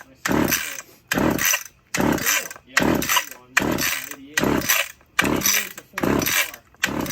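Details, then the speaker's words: Stihl 015 chainsaw, just fueled, choke on: repeated short rasping bursts about once per pull, catching briefly then dying; cold saw sputtering, suspected spark plug or old gas in the carb, not confirmed. "Ooh, Holy smokes. this thing may need a little work, maybe a plug."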